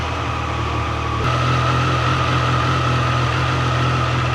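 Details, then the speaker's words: Triumph Tiger 800 Sport after its first service, owner worried about cam chain noise: even, steady idle with a smooth low beat, no ticking or rattle, cam chain quiet; judged perfectly normal idle. "Not much with that. That sounds good."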